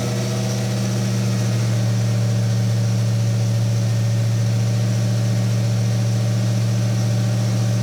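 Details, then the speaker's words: BMW E46 with LS V8, after diagnosing a startup noise traced to a squealing MLS gasket: steady, even idle with deep smooth exhaust rumble, no squeal or misses; normal idle, running a little rich. "got her going sounds good just pulling some fuel out it's running a little rich"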